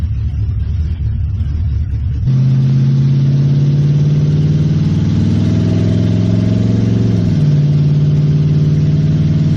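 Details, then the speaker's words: 1969 Mustang V8, just refilled with antifreeze after cooling work: steady low drone that wavers and dips, running fairly decent then rough; cause unknown, timing possibly suspected. "it was running fairly decent and then it started running like crap I'm not sure what's going on here"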